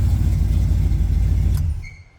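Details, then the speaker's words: 1969 Chevrolet Camaro, freshly rebuilt 327 small block Chevy (bored 40 over, H-beam rods, flat-top pistons, 480 lift cam), Turbo 350 transmission: quick blip gives a deep, even rumble that dies away cleanly, no knocks or rattles. Tight, healthy engine rev. "Can tell she's tight. She's a tight engine."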